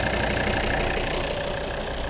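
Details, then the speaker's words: Volvo P3-platform diesel first start after fixing a loud knock from the injection pump area: steady, even, smooth idle clatter with no sharp knocking, engine sounding healthy with no extraneous noises. "все ребята торжественный запуск двигателя группа можешь никаких звуков посторонних больше нет"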